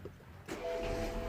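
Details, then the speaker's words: BMW 116i F20 start on a known-good substitute battery after the car's few-years-old battery failed to crank: quick brisk crank, catches within half a second, settles to smooth idle; healthy start. "Oh, perfect."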